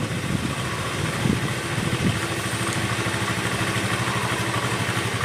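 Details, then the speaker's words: Honda Vario 110 carburetor scooter right after a carburetor service, started cold before warm-up and idle adjustment: a slightly uneven first second or two, then a steady, even single-cylinder putter; it starts immediately and runs normally. "Kita nyalakan ya, kontak on, starter. Oke, motor langsung nyala ya. Oke, motor langsung nyala."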